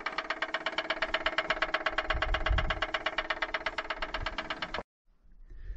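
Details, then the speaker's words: Case TV450B skid steer just after shutdown, with a firm, regular knock near three per second that stops abruptly. Both the TV450 and TV450B do this; owner suspects hydraulic fluid flowing back to the other side. "you can hear them both knocking that after you turn them off they have this weird knocking noise it's probably just hydraulic fluid going back to the other side"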